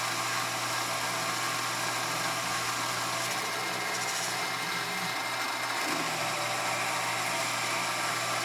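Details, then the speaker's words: Grizzly G0765 7x14 mini lathe after gear and spindle bearing upgrades, cutting at about 825 RPM on lead-screw power feed at 0.020 to 0.025 in depth: a smooth, even motor whir with no bogging or strain; normal cutting under load. "the surface finish has improved greatly already and using the lead screw for power the LA didn't even seem to notice it"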